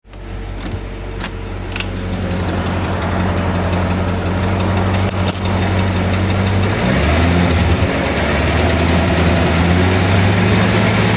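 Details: 1996 LT4 V8 idling and revving with a faint, fairly regular light tick, about four per second, over the exhaust drone; ticking noise.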